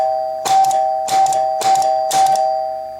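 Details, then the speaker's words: Chicago Coin Blue Max electro-mechanical pinball, advance relays clicked by hand with the score wheel motor running: four clear chimes about half a second apart, each with a short relay clatter; normal score advance with chimes. "So we should be able now to click these advance relays. And you actually can see now the score wheel's running."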